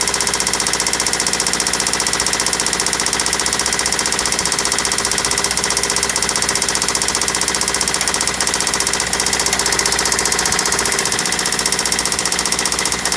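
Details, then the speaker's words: Replacement JDM engine in a Toyota Celica at idle; sharp, regular metallic knock about three times a second, worse than the previous engine; told it might be carbon buildup, owner thinks the engine needs replacing. "because we tried to start it the engine was knocking just extremely bad sound is so horrible even worse than the the last one that i had"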